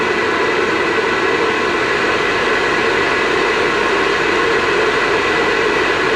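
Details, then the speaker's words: Vivosun 6-inch 390 CFM inline fan running open without ducting or filter: steady even rush of air with loud hiss, no knocks, rattles or wobble; jet-engine-like sound expected to quiet once ducted. Normal running. "Alright, so like I said, it's not terrible. If you're, once you put it in line and put some ducting on it, possibly a filter, maybe a couple S-turns on the output side, you won't get that kind of jet engine sound, and it'll be fairly quiet for how much air it's moving."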